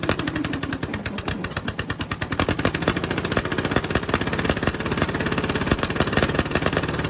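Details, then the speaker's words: 1951 Caterpillar D8 2U diesel, sat since about 1990 and previously stuck, running on its own power for the first time: rapid even firing that steadies and picks up slightly as it settles, running normally. "all right that's the first start since they're pretty sure it's been like 1990 was the last time it runs so that was a major achievement there to get it running on its own power"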